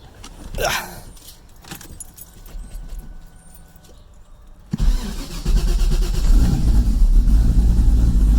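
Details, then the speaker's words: Electronic exhaust cutout after replacing its two-step-damaged butterfly valve with a new QuickTime Performance valve and shaft, heard at the rear with cutout closed: even, deep exhaust note, no puffing leak; before repair it leaked like a wet fart. "make sure it's closed it's great back here oh yeah before it was pretty bad it was like like a wet fart oh yeah it seems to be sealed up pretty good"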